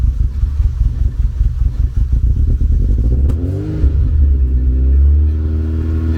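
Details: First start in nearly two years after work awaiting a machined manifold, microphone at the exhaust: about three seconds of rhythmic cranking, then it stumbles, catches and revs unevenly; slow hard start.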